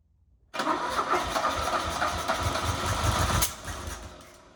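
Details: 1977 Fiat 124 Spider barn find, sat nearly 25 years, spark confirmed, running on squirted gas with no fuel in the lines: it catches abruptly, chuffs unevenly with wavering speed, then sags and fades, barely running; the owner thinks it ran out of gas.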